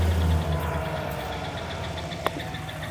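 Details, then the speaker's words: 5.3 LS V8 at about 220,000 miles, idling with the drive belt removed (water pump not running): steady rumble with a faint regular high chirp three to four per second persists, so the squeak is internal, not the belts; source unconfirmed. "okay you can see the belt's not on here so we're not running the water pump and we still have that noise this is where we're at with this the condition is squeaky noise the cause it obviously isn't the belts"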